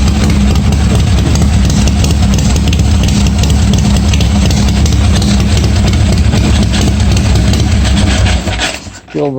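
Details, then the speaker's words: 1986 Harley-Davidson Softail first start after wiring repair, gas added: deep lumpy V-twin rumble holding a steady even idle for several seconds before switch-off; runs fine, oil pressure not checked. "works well looks like it started so i didn't check the oil pressure or anything"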